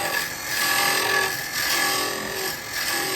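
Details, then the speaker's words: Woodturning lathe hollowing a small Laburnum lidded box with a carbide scraper: harsh high rasping squeal swells and fades as the full 28 mm cutter width bites side and bottom at once; too much cut, tool chatter. "and it only really does it when you're at the side, because what it is, you've got the whole width of the cutter on the side, and the whole width of the cutter hits the bottom, and that's 30 mil. That's, well, 28 mil that's cutting. It's too much, it can't take it."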